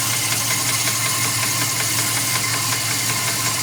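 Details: 2002 Dodge Ram 4.7 at steady idle with a loud sharp ticking knock about two to three times a second; three mechanics say it needs a new engine, owner unsure if something else causes it.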